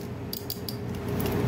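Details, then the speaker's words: Automotive five-pin relay bench-tested with test lamp, coil energized by grounding: sharp crisp clicks as relay pulls in and drops out, voltage switching between pins, faint steady hum behind: normal relay click. "right you hear that click so the voltage signal should move from the middle here now to here see so it's no longer on this tiny pin"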